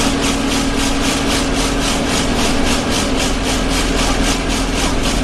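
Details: Arriva Yorkshire Alexander Dennis Enviro 200 bus 1065 (YJ09 CVD) on service 283, Bradford to Batley: a harsh rasping, sawing whoosh pulsing about three times a second over the engine, a loud vibration noise from somewhere underneath.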